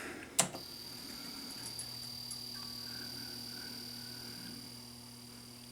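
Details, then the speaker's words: Warrior arcade machine with Vectorbeam vector monitor showing no picture: click at power-on, then steady high whine and mains hum with faint fluttering chatter, which the owner judges comes from both X and Y deflection axes. "have neckla and I hear chatter can you hear that can you hear the chatter and just by the sound of that chatter I can tell that's both axes xny I can tell just by the sound"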